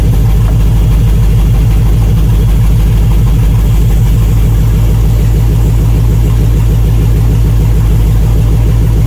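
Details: 1999 GMC Sierra 2500HD, compression and spark good, idling during liquid-fire test: lumpy, uneven idle with stumbling beat and missing pulses; multiple-cylinder misfire, several cylinders dead from clogged, stuck fuel injectors.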